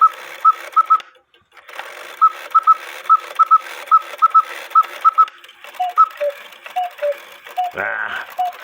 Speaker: the cuckoo bird wire lifted the quail wire so that's why I made a chirp while I was cucking